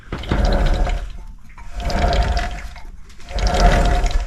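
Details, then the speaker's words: High-mileage BMW R1150GS, rear wheel spun by hand on the stand: rough gritty rumble surging about every second and a half; failed final drive bearing, iron filings seen in the oil earlier, final drive to be replaced. "I mean it sounds terrible hopefully that the mar perer on this is doing it justice"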